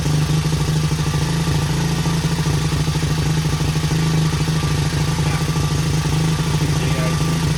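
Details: 1977 Honda XL75 single, long-stored, fired on first kick without a carb clean, choke on: steady, even thump with crisp exhaust note, no misses; runs pretty good, not smoking, seepage around float bowl.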